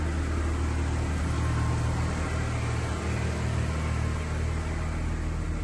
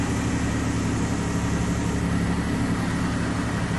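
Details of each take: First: 2003 Chevy Trailblazer LTZ 4.2 inline-six idling just after a rusted fuel pump replacement, with about 5 gallons of fuel added. Smelly exhaust smoke appears on a vehicle that never smoked, cause unknown. The idle is steady and low with an even rumble and no knocks. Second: 2003 Chevy Trailblazer LTZ 4.2 inline-six idling after a rusted fuel pump replacement, with no leaks found. A steady, even low idle with a smooth, unbroken hum and no misses, knocks or whine, healthy.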